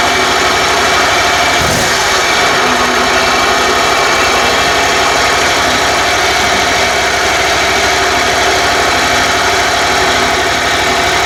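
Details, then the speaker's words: Kohler 27hp riding mower that sat about a year with no spark, fixed by sandpaper-cleaning both ignition coils and the flywheel magnet: engine now runs loud and steady with an even fast beat, no misses. "so definitely got good spark and it runs now so I'll demonstrate that for you"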